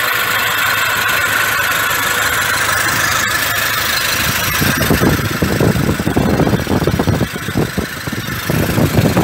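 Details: 2006 Toyota Hilux, 1KD-FTV diesel fully rebuilt after seizing, engine back from machine shop, first run: even diesel idle, smooth steady beat getting a bit fuller later, no rattles or knocks; healthy.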